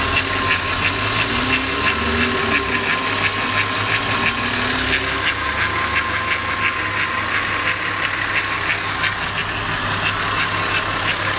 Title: suite bruit moteur vr6